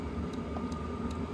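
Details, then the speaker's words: Smaller Hcalary diesel heater running: only steady rush of fan air, no fuel-pump clicking heard, unlike the noisier other unit; this quiet pump is normal. "But this pump is quiet. I mean, if you listen real close, I can't hear it because the wind is going through, the air is blowing through here."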